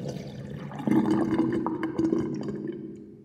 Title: New interesting sinkdrain with sinkplug 45.5 mm with whirlpool and loud gurgling sound